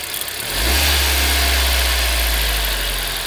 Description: インジェクターの音と判明。後に交換。